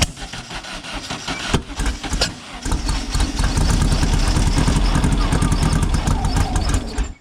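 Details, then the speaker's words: Silver Volkswagen car just fitted with new plug wires: starter churns at a steady uneven chug, roughly three beats a second, never catches; cause found to be plug wires installed in wrong firing order. "Nothing. I didn't even want to fire, did it?"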